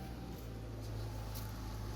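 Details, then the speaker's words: Engine after a broken cylinder 5 intake-side rocker arm was found and replaced, still hot, about 20 to 25 minutes later. A steady, low, even idle hum with no tapping or ticking; it now runs normally. "all right guys hey no ticking guys 20 25 minutes later this is how it's supposed to sound"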